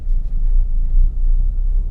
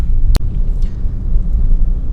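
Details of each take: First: Manual car pulling away in first gear at too-low revs, below about 1000 rpm: deep, uneven, lumpy labouring rumble; engine lugging knock. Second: Manual car in third gear at around 1000–2000 rpm, light throttle: smooth low engine drone, no knocking or pinging, even rumble; engine pulling healthily at low revs.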